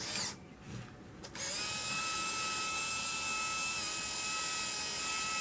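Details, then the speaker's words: Konica Big Mini BM-510Z 35mm film camera, checked before sale, rewinding the roll; thin, high, steady whir of even pitch after a short pause, film breaks free of the take-up and counter flashes 0; normal film rewind. "we hear it rewinding, and it's going to go back to 0. I hear it break free from the take-up, and now it's a flashing 0."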